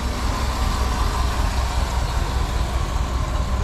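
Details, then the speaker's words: 1956 Dodge C3 farm truck V8 with glasspack exhaust at idle: even low burble at a steady beat, no lifter tick or other knocks; healthy smooth idle. "i mean you can hear it burns no lifter ticks no noise no anything idle's real nice"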